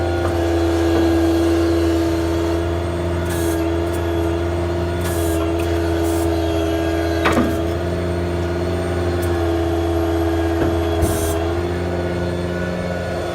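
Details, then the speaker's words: 2012 Ford F-550 service utility truck with a crane, idling with the crane and PTO switches on while the hydraulic outriggers are worked: a level pump drone with short hiss bursts as the outriggers move; smooth, normal hydraulics. "I'm going to work the crane and just show you the basic stuff on it. First I'm going to work the outriggers."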